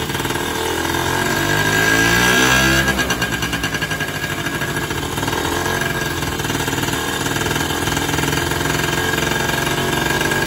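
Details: Sanex 50cc Yamaha-based two-stroke after rebuild with new crankshaft bearings, seals, crankshaft and generator-part connecting rod; air screw not yet adjusted, side oil pump unconnected; catches, flares, settles into steady buzzing idle, no bottom-end knock.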